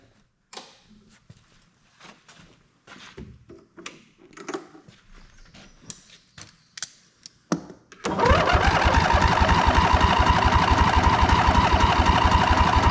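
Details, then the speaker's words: Ariens Ever Ride Hornet zero-turn mower, 25 hp Briggs & Stratton twin, sat outside about a year; catches and runs fast but uneven with heavy backfire, one plug gap nearly closed with carbon, mouse nest and chewed plug wire suspected: misfire from fouled plug. "well it runs we got a heck of a backfire not sure if maybe it got some water down in there the valves are sticking now or something"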